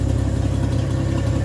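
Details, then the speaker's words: 1964 Chevrolet Bel Air, idling after tune-up with new plug, exhaust ending at the manifold: deep, steady, even rumble with no stumbles or dips. Normal, smooth idle. "Guys, since we tuned it up too with the new plug, listen to that idle. Smooth."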